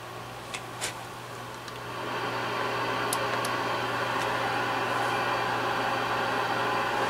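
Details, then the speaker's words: Yaesu FTDX-560 receiver at first power-up: quiet clicks, then even flat static with no station or tone, pre-select makes no difference; no reception, with no VFO output. "we have static. We'll put it on 25 kilohertz. And we have nothing. No receive whatsoever."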